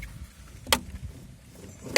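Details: Renault Scenic 2 cabin audio while turning; two sharp hollow clunks about a second apart, suspension knock from worn bushing with play, later fixed by replacing bushing.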